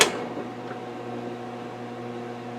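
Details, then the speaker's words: Old restored table fan, motor oiled, mic close to motor, running on low speed: smooth spin with steady low buzz and slight extra hum from the speed coil; otherwise normal. "got a little extra hum from the speed coil. I think that's all she's got."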